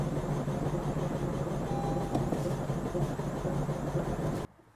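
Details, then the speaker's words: Honda Civic Type R FK8, about 35,000 miles, a salvage non-runner, first start on a booster pack: uneven, lumpy churning catches briefly then abruptly cuts out; rough running. "what the hell is that that's definitely not a noise you want to hear when you've just bought a car sight unseen from a salvage auction that sounds absolutely terrible"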